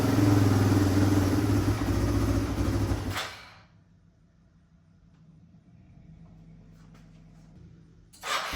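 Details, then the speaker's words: Engine running for the first time after work, a 1973 Suzuki TS250 or 1997 Yamaha Timberwolf 250 ATV, on a jump pack; single cylinder thumps unevenly then stalls; rough, iffy idle, fuel mixture and idle screw adjustment suspected. "So, as you can tell, the bike is running now. Um the idle seems to be a little iffy."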